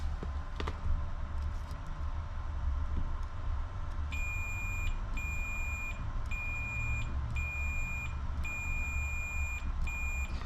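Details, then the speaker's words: 1993 Ford Explorer starter (fender) relay bench-tested on 12 V source after resoldering repair; single sharp click as contacts close, then steady beeps, relay working properly. "I'm getting ready to to test it hope it works now I'll just start the 12 volts source this simulates the car battery and when 12 volts come from the engine okay so we hear the click just like before"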